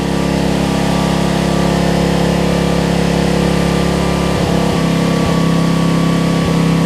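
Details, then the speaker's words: Homelite LR4400 generator after carburetor and kill switch replacement, just primed: steady low drone with even firing beat, pitch shifting slightly as the carb mixture is backed off and trimmed; runs smoothly. "You hear it change tune? Video, it just started working. That's amazing."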